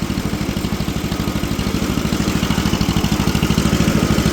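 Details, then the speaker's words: Old tractor parked for years, driving under load in third gear: low, steady chuffing but pulses vary in strength; running somewhat rough, dirty carburetor suspected and needing cleaning. "Definitely going to need carburetor clean."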